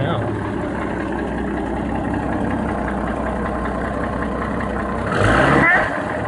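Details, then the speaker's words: 1989 Jeep Cherokee Pioneer 4.0L I6, AW4, idle after cleaning gunk from the idle air control valve, which has occasional idle RPM drops: steady but slightly unsteady idle with short honking quack near end; source unclear, owner points low, new IAC planned. "I think the quacking comes from this down down here I don't know it still runs I guess whatever man"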